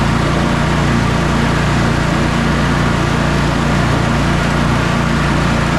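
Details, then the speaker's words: Sabre by John Deere twin lawn tractor after carburetor repairs and a new starter, final test drive: even, steady drone with no misses, knocks or rattles. The test mow went perfectly and the engine runs great. "All right, test mow went perfectly. It's mowing great. It's driving great. Engine is running great."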